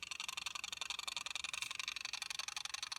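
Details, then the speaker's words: Unused 60–70-year-old mechanical timer wound to 15 minutes: rapid, even, crisp ticking about four per second, a healthy escapement that still works well. "Can you hear that clicking? Yeah, so it's, you know, God knows how old this is, 60, 70 years, and it still works great."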